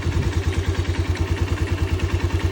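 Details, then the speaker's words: Mustang Region 150 single-cylinder motorcycle, 9,000 mileage, poorly maintained, new generator fitted, engine arrived with some noise, valves being checked. Soft, steady, regular idle thumps with no misses or rattles: a healthy idle. "Причому дуже м'ягко, стабільно. Це причому, що в мотоциклі в нас 9 000 пробігу."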